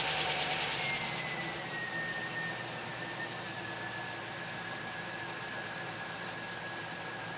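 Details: 2001 Chevy Silverado Z71 after fuel pump replacement: truck catches, high whistle drops in pitch, then steady even idle; starts and runs normally.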